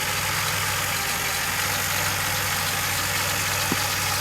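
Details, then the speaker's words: Mostly stock DeLorean, VIN 10719, started from freezing cold; it has a cold-start problem unless given gas, then settles to a steady, smooth idle with low hum and exhaust hiss, some water vapour from exhaust; runs healthy. "but once she's running she sets down fairly well and there doesn't seem to be many"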